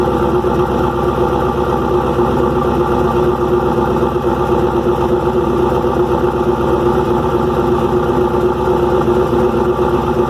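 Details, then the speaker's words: Restart of freshly rebuilt engine "Promise": rough, busy idle with constant clattery chatter. Valve train is far noisier than the new lifter package should make. Owner suspects unmeasured, too-long pushrods and is ordering new ones. "i'm hoping that's what the issue is because the valve train is making a ton of noise i know i pushed it with the um push rise that i was getting i didn't measure it"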